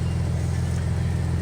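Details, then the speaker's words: 30-year-old van, engine running, shifted from reverse to drive as a road-trip check: a steady low engine hum, and the transmission goes into gear with no clunk, so the U-joints seem fine. Normal transmission engagement. "You shouldn't hear, if you hear a clunk, you need to check your U-joints. But as you can hear, there is nothing. When it goes into gear, all you can hear is the transmission going into gear and it trying to move a"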